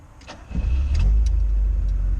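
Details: Classic Fiat Spider after replacing the mechanical fuel pump with an electric pump on a relay, restart test after switching off: quick crank, then it fires and holds a smooth, steady low idle without stumbling; restarts normally.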